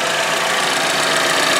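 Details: 2013 Chevy Equinox 2.4L four-cylinder idling after a PCV upgrade (PCV valve fitted atop modified cap, line to manifold) to prevent rear main seal failure: steady, even whirr with no knocks, misses or surging; normal, very smooth idle.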